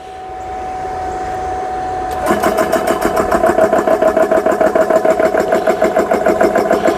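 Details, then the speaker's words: Repaired GX CS3 compressor filling a PCP air gun to 3,200 PSI with no filter attached, gun starting near 2,500 PSI: motor starts, then steady rapid pumping about three and a half pulses per second with even tone; running normally. "It's going to take a little bit long. Well, it shouldn't. We don't have the filter on it, so it shouldn't take too much longer."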